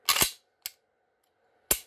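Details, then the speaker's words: Modified Glock pistol with aftermarket trigger, after adjustments fixing failure to reset (slide lug pushing connector over). Three crisp clicks about a second apart, dry fire then slide rack: trigger now resets cleanly each time, normal reset. "pull the trigger rack the slide live trigger okay every time it doesn't matter if we trap don't trap"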